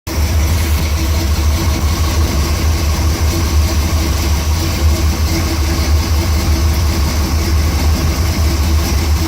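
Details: Truck at idle with the AC not blowing, owner suspects low gas: steady low idle with a constant mid-pitched hum on top; air conditioner noise, cause not confirmed.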